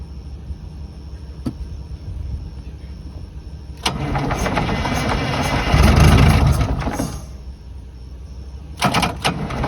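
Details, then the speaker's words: 1982 Silver Eagle tour bus, Detroit 6V92 diesel parked 6-10 years, on one small battery: slow cranking, then it catches on a small shot of ether and roars a few seconds before dying; runs only on starting fluid, cause unconfirmed. "see what i mean she runs just for a second until she's out of the ethers and it's done"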